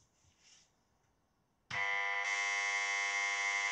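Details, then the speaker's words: Italian Microhard clone of Cinematronics vector arcade game, power supply repaired, monitor-board tantalum caps replaced with 50 V electrolytics: instant harsh steady high buzz at switch-on, nothing smoked; abnormal buzzing at power-on, cause unknown. "this noise not good at all at least it seems nothing smoked badly"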